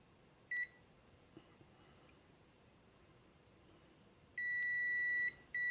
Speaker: But that's short there and short there. And it shouldn't be. So So there your problems, guys, with these transistors.